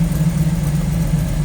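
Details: 1929 Ford Model A street rod, 283 V8 with three deuces, Edelbrock intake, roller cam, headers, 700R4 automatic, idling with hood up: smooth, even low rumble, steady beat, no knocks or ticks; healthy idle.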